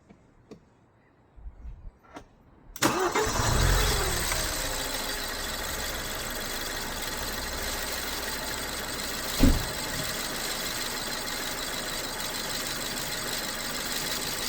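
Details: BMW 1 Series E87 1.8 petrol, car having faulty coil packs replaced for misfire codes P0300–P0306: engine cranks briefly, catches cleanly and settles into a steady, even normal idle with no stumble or miss.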